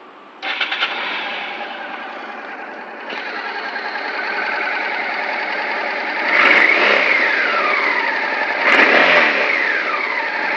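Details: Engine catches and settles, then two sharp throttle blips with revs rising and falling; an abnormal engine noise, cause not pinned down.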